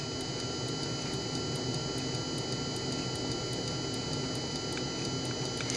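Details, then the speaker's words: Mercedes E320 throttle actuator on a bench test, energized, possibly a junkyard unit: crisp, evenly spaced micro switch clicks about four or five a second over a steady electrical hum; normal clicking, the unit works properly. "the second important thing is a micro switch it does click that's also good hear that micro switch"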